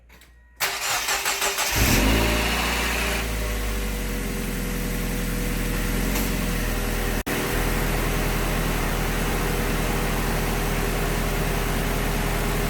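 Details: After coolant leak repair (cross-threaded crossover tube, water neck and adapter refitted), engine cranks quickly, catches cleanly, brief rev flare, then settles into smooth steady idle for heat cycle and radiator burping; starts and runs normally.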